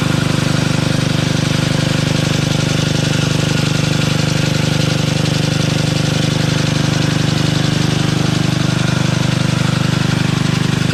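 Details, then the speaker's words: Toro 58-inch professional 3-gang reel riding mower after unseizing the blade PTO, reels engaged and spinning very fast; smooth constant engine drone with even reel hum, no shudder or rattle: normal running. "I'm looking through the screen and it shows it moving slowly. In reality, this thing is spinning very fast."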